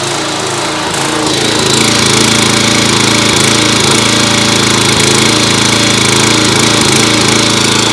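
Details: Simpson pressure washer with Kohler SH series engine, after second ultrasonic carburetor cleaning: loud even buzz holding steady high speed with no choke, no surging, sputtering or hunting; runs clean.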